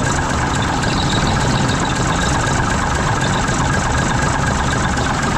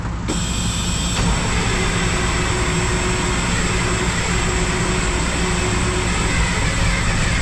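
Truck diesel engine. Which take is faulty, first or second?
second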